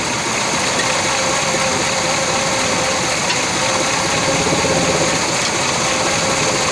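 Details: Abandoned 1966 Chevy Biscayne, numbers-matching 396 big-block V8, first run on its own with new throttle linkage, pulling fuel from the tank: catches and settles into a fast, even run with no knocks or misses over steady exhaust roar.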